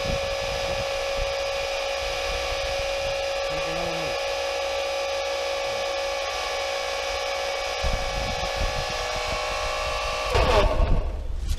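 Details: Pool pump motor: loud, rough, steady drone with faint irregular rattling over the whine; seal and bearings suspected, inner ball bearings judged faulty, damage found worse than expected.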